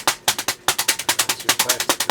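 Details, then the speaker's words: Modern Fan Co. Industry ceiling fan on high in reverse: sharp, regular clacks about eight per second, one per blade pass. A blade is striking loose plastic packing. "I stopped it it's going to affect the spin down time with the plastic hitting it so I'm just going to stop it by hand"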